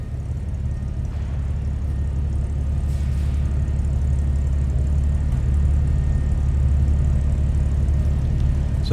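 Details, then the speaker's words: 1953 Chevrolet Bel Air hardtop, inline 235 six, just after a cold start; low, smooth, steady idle rumble with an even beat, no ticks or misfires; normal idle. "Nice throttle response, a little rumble coming out of that inline 235."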